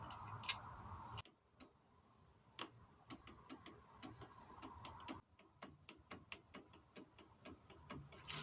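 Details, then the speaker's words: 1988 Volvo 740 GL (745) 2.3 petrol B230F, stored almost 10 years: pump powered directly shows faint uneven clicking with no motor whir; fuel pump seized, not spinning, to be replaced. "can you hear that not the sparking but there's a no i think the motors no good because it's not spinning it's not actually turning over"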